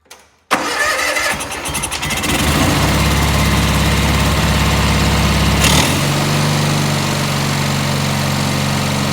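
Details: Cub Cadet 1812 with Kohler M18 engine after swapping in a known-good carburetor, started on choke: catches at once, a few uneven beats, then settles into an even, steady single-cylinder thump; runs right.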